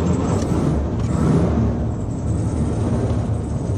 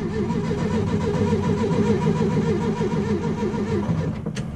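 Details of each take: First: Air-cooled flat-four VW Beetle restarting after cooling a few hours (it had been dying when hot): steady, low, even rumble with no stumbling or hunting; it starts and idles normally. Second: Steady rhythmic cranking at roughly three to four turns a second for several seconds, never catching; a hot VW Beetle engine that won't restart.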